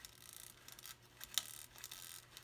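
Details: F1G model aircraft mechanical timer, wound partly by hand while rigging the fuselage. Faint, light irregular ticking and soft buzzing between winding turns, with no grinding or catching; the clockwork timer is running normally.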